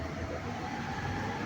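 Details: Haier 15 kg top-load washer (HWM150-1708) spinning at full speed after repair of spin-cycle rumbling: steady, even whoosh and low hum, no knocking or rumble.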